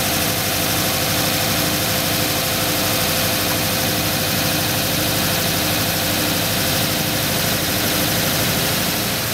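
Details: 1985 Ford Bronco V8 during ignition timing check, held at about 2000 rpm for full advance, target 34 degrees; steady even hum with no knocks or stumbles; timing found about right, engine running healthy.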